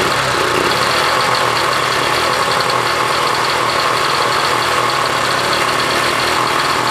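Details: 1966 Honda CL90 (owner unsure of year), rebuilt top end, idling after debris was cleaned off the ignition points: small single settles into a fast, even idle with a steady buzzy exhaust, no misses or knocks; wants to run good.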